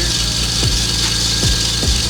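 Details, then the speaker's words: Lexus GS300 2JZ-GTE VVTi turbo at idle: loud steady high-pitched squeal from a glazed serpentine belt slipping on its pulleys, before fitting a new belt. "all because the belt is glazed whenever you have a glaze the belt it is going to squeal"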